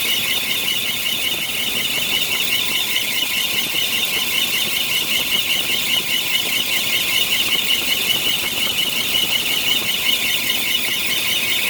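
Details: 1993 Bentley Brooklands: constant high, shrill squeal with a faint warble over a quiet engine, suspected bad A/C compressor clutch bearing.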